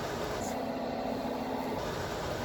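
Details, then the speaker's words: Amana PTAC (2009 and older model) after teardown and rebuild, plugged in: steady soft rush of air with faint low hum, no bearing noise anymore; normal quiet fan operation. "all you hear is the air moving now you don't really hear the um you don't hear the bearings anymore"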